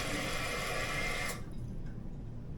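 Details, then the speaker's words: Toilet two weeks after a gasket replacement: steady rushing water hiss that cuts off abruptly; leak has returned, worn fill valve letting water through, to be replaced with a Fluidmaster 400 fill valve. "And about 2 weeks later, the leak has come back."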